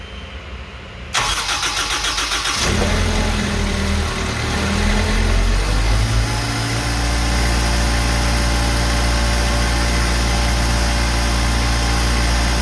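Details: Zamboni 546 ice resurfacer engine just after replacing the spark plugs with IFR6F plugs, started still cold: cranks briefly, catches quickly and settles into a steady, even idle with a deep low hum; starts and runs cleanly.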